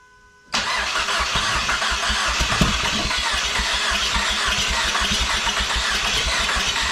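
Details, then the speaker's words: SRT4 engine from a wrecked car, first start on test after fuel pump relay fix: silence then abrupt catch into uneven lumpy idle with irregular pulses; owner suspects oil or debris in the cylinders, later runs well. "well caught coughed caught finally fired i think there was some stuff down in the cylinders a little bit of oil or something who knows"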